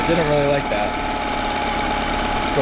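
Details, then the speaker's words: Outboard with cowling off, idle raised slightly, air mixture screw two turns out then turned in toward 1¾–1½; idles unevenly with a wavering beat and stumbles; rough idle from mis-set air mixture screw. "So this air mixture set at two turns out. It's not idling perfect."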